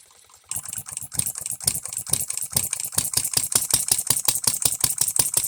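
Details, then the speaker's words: Economy hit-and-miss engine, new shop-made piston and rings: sharp fast firing bursts about three a second with wandering spacing; first time it hits and misses continuously, still needs tweaking. "I guess this is a a personal victory for me because I've never once heard this engine hit and then miss again and continue to run to hit and miss again"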